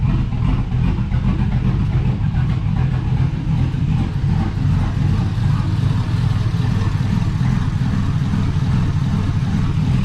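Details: GMC Sierra 5.3 LS V8 (stated as 2005 or 2006) running on first startup after a broken lifter was fixed with a BTR Truck Norris cam and LS7 lifters, no muffler: loud deep open-exhaust rumble, steady lope, no lifter tick; healthy.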